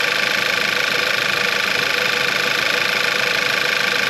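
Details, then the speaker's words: VW Eos first start after engine and transmission reinstall, apart for almost 3 months, fuel system primed: even, steady idle with a fine regular tick and hiss, no knocks or misses, no leaks; normal idle. "sounds good nothing all right nothing leaking out the bottom no abnormal noises"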